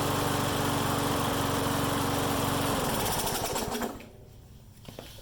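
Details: Mower that started then died, after carb work and draining bad fuel and refilling with fresh gas, governor adjusted: single cylinder putts at a steady even beat, no surging; runs properly.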